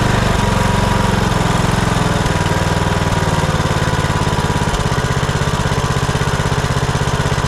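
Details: Kohler Courage 19 on Troy-Bilt Bronco 42" riding mower, previously surging and dying off choke after aftermarket carburetor install; after fitting new carburetor and gaskets, no adjustment: steady even thump at idle, no hunting or surging; runs beautifully.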